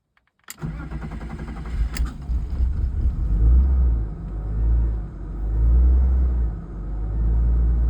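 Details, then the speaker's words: 1997 BMW 328i E36 after fitting a new MAF sensor: long churning crank before catching into a low wavering idle; owner suspects the Duralast crank sensor for slow start. "All right. Well, took a while to start, but I think that's cuz the crank sensors Durlast one seems to be idling a lot better with it plugged in as to unplugged."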